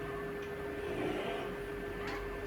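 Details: Samsung washer, 2 years 2 months old, after repair: soft, steady motor hum during the wash with none of the earlier metal-on-metal grinding from the motor area, after rust was cleaned off.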